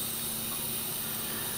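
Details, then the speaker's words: 2001 Hyundai Tiburon, 100k on the engine, 30k turbocharged, leak-down test on cylinder 3 at about 9 of 100 psi: steady airy hiss with the engine off, air escaping past the piston rings and making the oil cap jump. "9 pounds leaking off, and there's substantially more air coming out around the rings. It's making the oil cap jump there."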